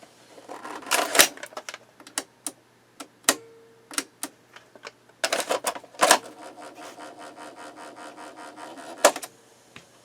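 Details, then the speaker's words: 1970s Sony TC-238 8-track recorder, bearings still unserviced, on pause after fast forward: sharp irregular clunks and clicks in bursts, then fast mechanical chatter; owner says it sounds like it's going to break, cause unconfirmed. "Okay, pause. That sounds like it's going to break. I don't know."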